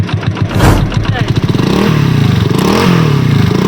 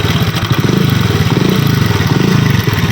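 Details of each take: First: Honda CD 70 after engine noise repair with new chain-side parts and tensioner rubber: single-cylinder revs up and down cleanly through several blips, no chain rattle or ticking; engine now quiet, normal revving. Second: Honda CD 70 motorcycle at idle before repair. A fast, dry metallic clatter rides on every beat of the small single, loudest low down: timing chain and tensioner rattle.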